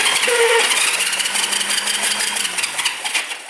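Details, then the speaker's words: 1971 Honda CL350 Scrambler, sitting over 25 years, turning over with an uneven whirring crank but never firing; no spark at either plug. "Let's see if we have any spark. [Music] I am not seeing anything. That's weird."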